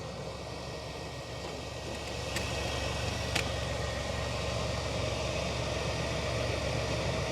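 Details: 1997 GMC Safari 4.3 Vortec after a melted fuel pump connector pin was fixed to cure a crank-no-start: the engine catches and settles into a steady, even idle with no misfire or hunting. It sounds healthy.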